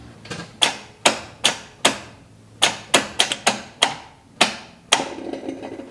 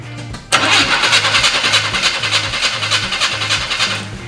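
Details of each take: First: 1980 Chevy C10 truck long left sitting, cranked with coil wire off (no spark): sharp uneven ticks and clacks with gaps, engine not turning over; owner suspects a bad starter or bad battery connection. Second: 1980 Chevy C10 square body pickup, long-abandoned, cranking after starter reinstalled and wires reconnected: brisk, even cranking at roughly three pulses a second with strong steady rhythm, sounding much better. Normal cranking.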